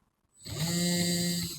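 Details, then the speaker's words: MN99S RC car after the axle and driveshaft were taken apart and repaired to cure stalling caused by upgrades, bench-tested on a table; about a second of smooth, even motor whine at steady pitch, no clicking or grinding; runs properly. "Oke, teman-teman. Mobil ini alhamdulillah sudah berjalan secara"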